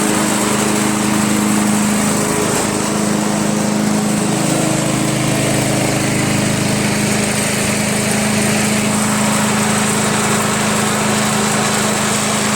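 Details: Craftsman/Yard Machines chipper shredder flathead single-cylinder, after head removal, carbon cleaning and sandpaper valve seat lapping (intake valve spun freely): after many pulls it starts and holds a steady, even buzz, no misfires or rattles. Normal idle.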